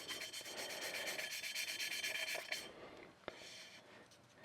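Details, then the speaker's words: Subaru STI/WRX T20 cylinder head build, new valves: hand valve lapping, rhythmic gritty rasping about three strokes a second that fades quieter within seconds as the valve seats in; lift, rotate and reseat until no noise, seat mated. "So, you'll hear uh the grinding get less and less loud. Like, it'll it'll sound um the sound will dissipate, and that's when you want to lift it up uh lift up the valve"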